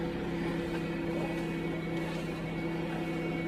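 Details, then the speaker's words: 2008 car with the 3.8 engine at a salvage auction; it runs really rough and is suspected of a rod knock. A constant droning whine rides above the steady idle without changing; power steering pump whine, car seems beat on. "Power steering wine. This thing's been beat on."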